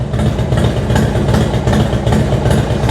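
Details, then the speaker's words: Harley-Davidson FXDX V-twin after Daytona Twin Tec ECU fit for cam sensor error, Andrews N21 cams, Big Sucker air cleaner, aftermarket exhaust; idling on a tiny bit of choke while still slightly cold, deep steady loping beat, no misses, no issues: normal idle. "Tiny bit of choke, which is still a bit cold. sweet. No issues."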